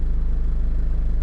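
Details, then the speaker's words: Restoration project vehicle in drive: low, lumpy rumble with pulsing, uneven sputter, wants to stall; also hesitation like limp mode with no code or check engine light; cause not yet found. "And then also when it's in drive, it sputters like that."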